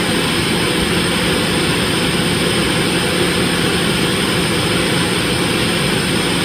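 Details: Dodge Dakota 3.7 V6 cold start after replacing three collapsed lifters without removing the camshaft: steady even idle under a loud hiss from open vacuum lines, no ticking; valvetrain sounds quiet and healthy.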